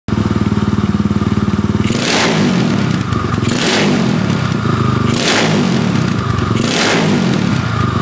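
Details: Yamaha SX285 first start after rebuild: steady, even idle broken by four quick blips to high revs, each dropping cleanly back to idle; engine runs healthy.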